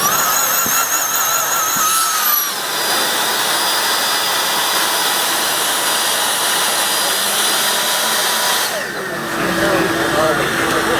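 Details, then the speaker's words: Black Diamond Jetforce avalanche airbag deploying: high-pitched fan whine drops in pitch and settles into a steady roar for several seconds, then cuts off; normal fan inflation. "now it's gonna be in this function recovery state it's gonna gonna keep pulsing and keep adding air to the best"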